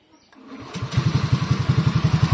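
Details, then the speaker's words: Honda Scoopy with a bored-up engine, after a rough-running fault traced to the upper cam chain tensioner blade left out of place so the chain rode on the tensioner: short crank, then a smooth, even idle putter with no ticking; normal. "suaranya halus lagi ya sekarang ya tuh halus lagi Nah sekarang suaranya Udah halus lagi ya"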